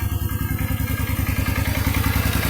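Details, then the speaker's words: Suzuki Marauder/Intruder VZ800 (2007–2010) engine, 55,107 km: steady thumping idle with a fast even knock on each firing pulse from the bottom end; slight noise indicating early connecting-rod play, rod knock; offered for repair or as a spare-parts source. "La moto viene con un sonido de biela."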